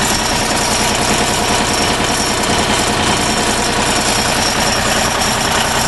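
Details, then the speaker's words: Deutz diesel generator set, first start after repair, started at low speed via a screwdriver on the worn key switch, generator already reading over 50 volts: steady, even, fairly quiet diesel clatter with no odd knocks or misses. Normal idle. "Pretty quiet."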